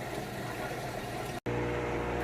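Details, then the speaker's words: Whirlpool HE washer starting its final spin after draining the rinse water; a series of three spins, low spin first, then two fast. Steady motor hum with a low drum drone. Normal spin cycle. "moving into that final spin cycle. Just finished draining all the water out from the rinse cycle. And now this goes through a series of 3 spins."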